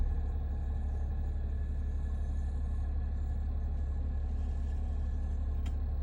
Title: New ac compressor making noise